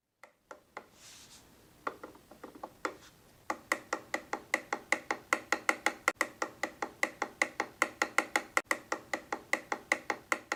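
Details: Boosted Board v2 electric skateboard, 70 miles: sharp dry clicks about four a second, fairly even, no hum; play found in the motor shaft bearing, worn motor bearing.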